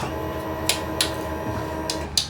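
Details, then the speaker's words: Barako FI motorcycle that cranks but won't start, ECU suspected: faint steady whir with light clicks at key-on as the fuel pump primes normally. "Sabi niya may fuel pump naman daw kapag sinususi. So i-check natin yung fuel pump. Pakinggan natin kung mayroon siya pag sinususi."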